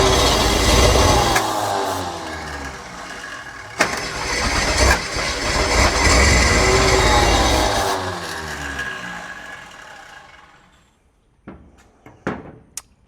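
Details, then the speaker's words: 1968 Ford Torino with a formerly seized engine, cranked on brake cleaner with the fuel not hooked up and smoke from the exhaust; owner suspects the starter: rough, uneven whirring crank at about three strokes a second; abnormal cranking noise. "I'm not sure what that sound is, but it doesn't sound good. Sounds like the starter might be shot. But, at least it's not locked up, or otherwise it wouldn't be cranking it over."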